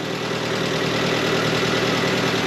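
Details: Third-generation Toyota 4Runner, 4WD, 5-speed manual, 4-cylinder 3RZ-FE, on first start after filling with fresh oil and coolant: a steady, even idle with a smooth low hum, no knocks or misses, and no oil light; the engine runs normally.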